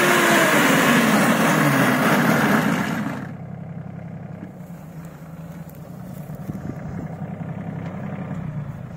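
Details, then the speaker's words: Samurai rotary mower, small rotors at higher speed, third setting; loud steady drone with sliding tone for three seconds, then drops to quiet tractor idle; chain runs correctly in its housing, normal gearbox and chain hum. "Косилка страшная, гудит она страшно, но не надо этого бояться. То есть там цепь все-таки, цепь лежит правильно, цепь крутится по картеру."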